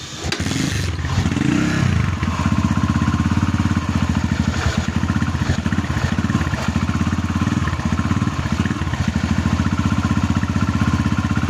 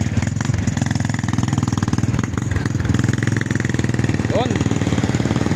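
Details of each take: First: Barako 2 single-cylinder motorcycle with repeated connecting rod replacements and a replaced crankcase, idling roughly with a loose clattering rumble. Teardown found worn, loose crankshaft bearings (size 6328), which were replaced. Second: Barako 2 single-cylinder motorcycle after repair, following repeated connecting rod failures and a crankcase replacement: steady even exhaust beat at idle with no knocking or rattling, now running well.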